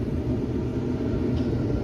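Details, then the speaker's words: Samsung dryer DV45H7000EWA2, empty, on normal cycle after replacing the idler pulley and drum rollers: even, steady low hum with no squeak, rubbing, scrape or rumbling; running smoothly. "there we go nothing not a squeak not a rubbing sound not a rumbling sound that's perfect"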